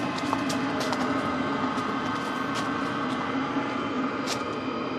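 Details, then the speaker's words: BougeRV diesel heater turned up to full level 5, blowing hot air under RV winter skirting. Steady, even roar of the blower winding up with a constant low hum, louder than at lower levels, no knocks or surging; running healthy. "It's going full blast. There we go. It's starting to wind up now. Still not too bad. Definitely louder."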